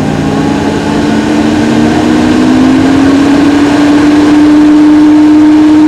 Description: my camera is in my mac pro just to see how it sounds inside and one word about it, IT SOUNDS LIKE AN AIRPLANE getting ready to take off and then basicly the fans will spin up to full speed.